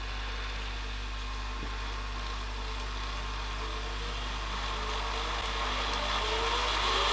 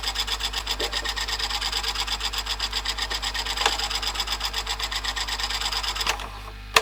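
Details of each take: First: Panasonic NV-HD650 VHS recorder after service (mode switch cleaned, previously wouldn't rewind fully), rewinding from nearly 2 hours into the tape; steady motor whir rising as the spools speed up, smooth and even, a healthy fast rewind. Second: Panasonic NV-HD650 VHS video recorder with high hours, after a service including mode switch cleaning, playing a tape: fast, even rasping rub about seven times a second while the tape runs; mechanism noise of unknown cause.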